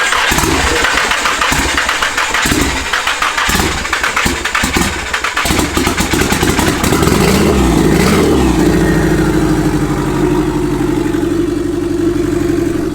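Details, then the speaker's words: SR20DET-swapped Nissan S13 coupe just after its first start, with no downpipe fitted: the engine catches, blips and settles to an uneven idle with a very loud, raw, crackling bark from the open exhaust. "No downpipe! Dude, she fucking meant bad. Why is that sick, man?"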